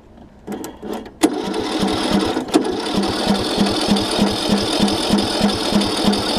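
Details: John Deere LA105 riding mower that sat outside three years, with a new starter solenoid and starter fluid added: the starter churns steadily at about three compression strokes a second but never catches; cranks with no start.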